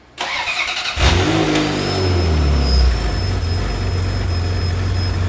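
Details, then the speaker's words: Ferrari F355 GTS project car, badly running, went into limp mode out of storage, raw-fuel smell: starter whirr then engine catches and hunts unevenly with a lumpy idle; misfire/incomplete combustion, injection timing read very high, loud secondary air. "yeah you can hear it's not running super great god those secondary errors are loud this thing sounds like dog [ __ ] your car's fat bro yeah yeah injection timing's super high"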